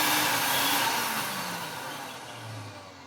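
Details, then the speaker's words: 1990s Vax Rapide 5150 3-in-1 cleaning machine motor, run with its filter off after cleaning, coasting down: whine slides lower in pitch and fades with a faint rough growl; a little wind-down noise, not terrible. "I mean, it's not terrible, but yeah, a little bit of wind down noise"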